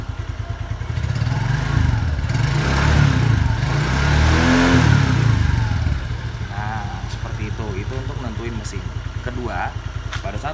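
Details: Suzuki Skywave 125 single-cylinder scooter engine: steady idle, then a crisp throttle blip that climbs cleanly and drops straight back to a constant, even idle; engine sounds fresh and healthy, normal revving.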